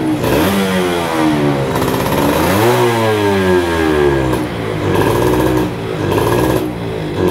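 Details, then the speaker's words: Yamaha F1ZR 110 two-stroke, stock ignition, coil and carb, with air filter rubber fitted: revs climb then stutter and fall flat, cutting in and out; runs freely with rubber removed; bog under throttle. "tapi motor gak mau narik gas ngempos banget ya tapi kalau dibuka karet filter udaranya motor bisa digas enteng jadi kendalanya di mana"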